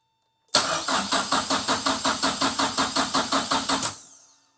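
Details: 1930s Ford Model Y with turbocharged Mazda MX-5 engine swap, standalone ECU, new uprated cams and rebuilt top end: faint fuel-pump hum, then about three seconds of even cranking without firing, after a fuse-box short was fixed.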